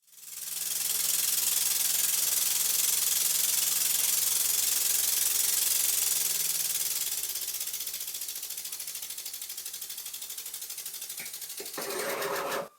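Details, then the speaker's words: Twin-cylinder Birmingham Dribbler model engine on temporary compressed air after re-profiling the cylinders and lapping the port faces, well oiled: quick, even exhaust chuffs about 3.5 a second over a steady hiss; runs well at high and low speed with plenty of power. "it runs well at high speed and low speed and there's plenty of power"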